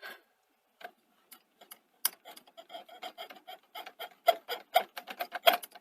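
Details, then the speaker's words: Sony SL-HF950 Super Betamax deck while cueing: uneven dry clicks and scrapes building in strength and causing a judder; suspected obstruction in the mechanism, possibly tackiness on the uncleaned tape path, unconfirmed. "so i might have found out what's causing the uh sort of judder uh effect especially when you're curing um more cueing than reviewing to be fair"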